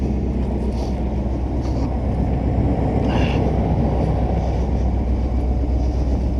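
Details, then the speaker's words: Truck with a Vortec V8, snowy weather: deep steady idle burble with low uneven puffing from the rear, where exhaust escapes from a leak near the back, by the exit that is melting a big hole; exhaust leak. "What's that? Oh no, that's exhaust. That's an exhaust leak by the looks of it from back over there."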